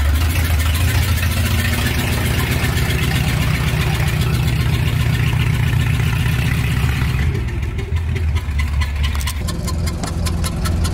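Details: 1978 Dodge W100 Power Wagon on its old, tired exhaust before long-tube header install; loud, uneven chuggy idle with a sharp puffing tick on each firing pulse, exhaust leaking badly: exhaust manifold leak.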